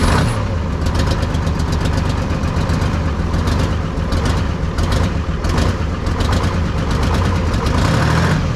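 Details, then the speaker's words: 1970s Chevy C70 truck with Detroit Diesel 6V53 two-stroke diesel and manual transmission, sat about 30 years, first run after retracting the emergency shutoff, no cooling water: deep, steady idle rumble with an even beat, no stumbling or knocks; runs like a top. "Yeah, buddy. Runs like a top. How about that?"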